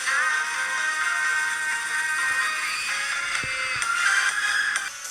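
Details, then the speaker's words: 2012 MacBook Pro speaker after its peeled suspension surround was repaired with rubber cement glue: thin, treble-heavy music playback with no crackle or buzz, so the crackling is gone. "so guys as you hear the crackling sound of this laptop is gone so the speaker is kind of fixed"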